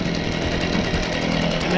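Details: Stihl BG55 handheld leaf blower two-stroke after aftermarket carburetor replacement and idle screw adjustment: steady, even high buzz with no surging, stumbling or misses, running cleanly; normal running.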